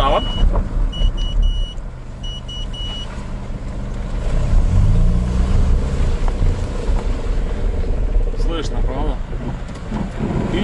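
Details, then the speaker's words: Honda CR-V rear differential creaks and crackles with a low rumble as the wheel is held at full steering lock; oil change sometimes doesn't cure it, and a whine also appears when lifting off from 90 km/h. "вот и сегодня и наконец-то я дается доездился на той машине до такого состояния что она уже просто не скрипит на уже просто трещит"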